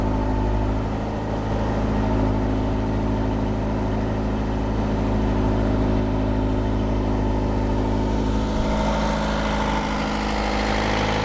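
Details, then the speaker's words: Perkins 4.108 marine diesel run for the first time in about six years, propeller engaged for load: steady, even clatter with a constant low drone, no misses or knocks, oil pressure and temperature good; healthy engine. "sounds good oh that sounds great started right up too"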